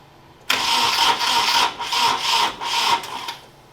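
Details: Nissan 240SX S13 KA24DE swap, cranking during distributor timing adjustments without a timing light: starter churns evenly about three seconds, roughly four pulses a second, never catches; timing suspected, later briefly runs.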